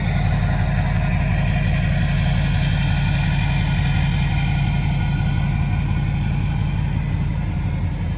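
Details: 2006 Chevy Silverado 3500 4x4, 6.6 Duramax diesel, 25k miles, serviced: just started, low, even diesel clatter at steady idle, smooth with no knocks or misses; very quiet, healthy engine.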